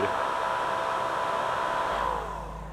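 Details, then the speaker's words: 2004 Mini Cooper power steering pump fan, replaced with a cheap 12 V fan motor, washers added as spacers: steady even electric whir, then smooth spin-down; normal fan running. "at least it sounds like a fan and not a broken fan"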